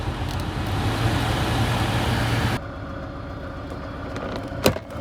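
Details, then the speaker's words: 1998 Pontiac Grand Prix GTP, supercharged, engine running after sitting; a steady low droning growl over the engine for a couple of seconds then drops away, from the AC compressor, which may need replacing; noisy AC compressor. "all right that noise is the air conditioner compressor which I was going to work on and I may end up having to replace it"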